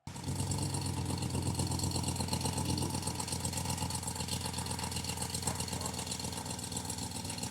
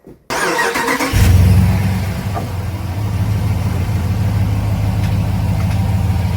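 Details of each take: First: RAM 1500 petrol V8 (DS/DT) idling, engine bay: fast light tick, about four per second, over the rumble from a cracked exhaust manifold; fix is replacing the manifold. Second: RAM 1500 5.7 L Hemi V8 after replacing cracked factory exhaust manifolds with aftermarket ones: cranks, catches and settles into a steady, deep, even idle; the former manifold tick is completely gone.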